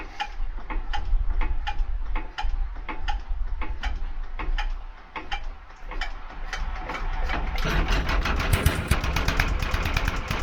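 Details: Petter AC1 diesel on a Kango generator, probably late 1970s, idle for years outdoors, first start attempt near freezing, decompression lever feeling odd: slow steady cranking about three beats a second, then harder, quicker bangs as it intermittently tries to catch.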